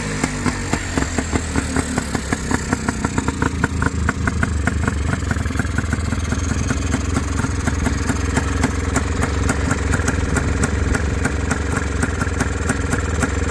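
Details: FL400R single after a carburetor rebuild; owner says it ran very rich and suspects the choke: catches, revs a few times, then settles to a steady, even idle. Rebuild outcome not confirmed.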